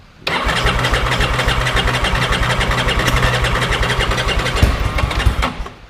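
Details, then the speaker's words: 1987 Ducati F1 750 cold start, choke only slightly pulled, hand on header: fires but lumpy, irregular and stumbling, reluctant to settle; cold-blooded engine, hard cold start. "When it's cold, that's how it behaves. And I didn't have the choke pulled on the inside either, but that's basically how it's going to behave."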